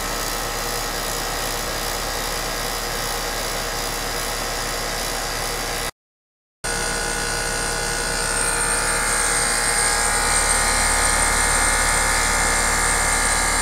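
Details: HVAC condenser unit after replacing bad 40+3 run capacitor with a 40+5 (40 side used): steady even hum with smooth fan rush, no knocking or buzzing; condenser running normally after repair.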